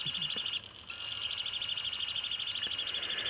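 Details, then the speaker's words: Pioneer PD-4100 CD player with disc loaded: high thin chirping squeal about three times a second as the laser moves back and forth seeking data; laser fails to read the disc. "Now you hear the squealing? That's the laser moving back and forth, looking for the information."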